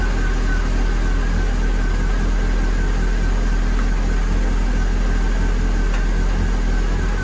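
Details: Renault Clio 182 race car after radiator replacement and coolant bleeding: steady, even idle with a smooth low hum, no knocks or misses; engine sounds healthy.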